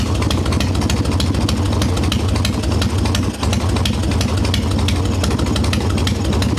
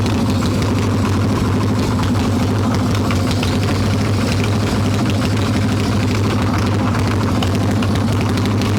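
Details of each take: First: Harley Evo Softail V-twin after fixing loose intake bolts, cracked vacuum cap and idle speed screw, engine still cold: even, steady low idle with regular firing pulses, no misses or surging; holds a dead quiet idle on an untuned mixture screw. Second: Harley Evo Softail V-twin, carbureted, warm, choke plate off, loose intake bolts and cracked vacuum cap, mixture screw seated: lumpy, uneven idle with ragged low thump, no clean rhythm; rough idle from intake air leak.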